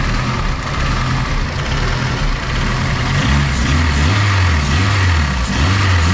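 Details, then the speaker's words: Turbo K20 AWD Honda Civic wagon after retightening four loose exhaust bolts that had leaked and melted an oil line: a low, steady idle with a gentle rise-and-fall surge and no ticking or puffing at the manifold. The engine rocks noticeably on its mounts; the leak is fixed. "that motor's rocking rocking quite a bit there nonetheless no more exhaust leaks"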